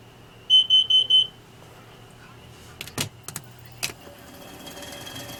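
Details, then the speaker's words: Motorhome with leaking exhaust manifold gasket seals, after running: four quick shrill evenly spaced beeps, then quiet with clicks; the carbon monoxide alarm is going off. "um i went off just went off huh that's kind of scary man so yeah we have i have to definitely get that fixed at least we know that that works"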